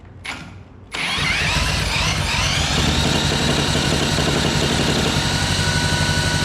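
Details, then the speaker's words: Previously seized Honda GX200, torn down and cleaned of milky oil and cylinder rust, first run with choke open: small catches then a fast, slightly uneven buzzing beat with wavering rhythm; running but not cleanly. "it's definitely running I don't think it's running the best but"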